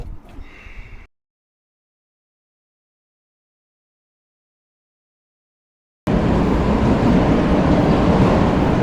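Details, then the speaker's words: Powerscreen PT 330 jaw crusher that won't run right, during a toggle plate replacement job: a heavy, rough clatter from the jaws, noisier than it should be; cause unproven. "all right so I'll just show you the crush you're working at the moment to work out shortly hear how noisy the Jaws are"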